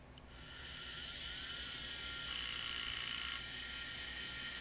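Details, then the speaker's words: Sony power supply from an SGI O2 in a WeatherSTAR XL, sent in for shutting off one day, bench-tested with a sacrificial drive as load: thin whine climbs as drive spins up, then even hum; supply runs normally. "that one fired up power supply is running"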